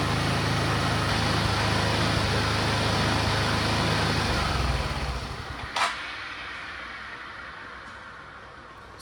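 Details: Suzuki Access scooter that runs only on choke: it runs steadily, then falls away and dies within seconds once the choke is lowered. Stalling at idle from a fault in the carburetor jet system.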